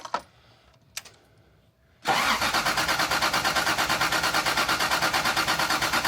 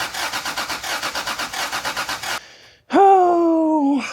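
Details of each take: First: Rally Toyota Supra, distributor just loosened and rotated: starter cranks at about one and a half even pulses a second for eight seconds without firing; crank-no-start. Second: Toyota Supra rally car after reconnecting the unplugged distributor connector: steady starter chug about six beats a second, brief pause, then fires and revs cleanly; now has spark and starts every time.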